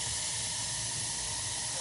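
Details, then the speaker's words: Two-stage gas boiler with no heat because the pilot went out, pilot relit (a new thermocouple was mentioned): even, steady hiss of gas burning with no popping or sputter. The main burner has fired cleanly. "there it goes. She just fired. Does that mean she went out, or what does it mean? No, it just fired."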